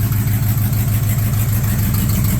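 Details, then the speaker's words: LS-swapped 1986 Chevy Suburban first started after fuel tank and pump install with little fuel: deep, even V8 idle, steady lope, no misses, ticks or knocks; no fuel leaks, running fine. "no leaks oh girl sounds good"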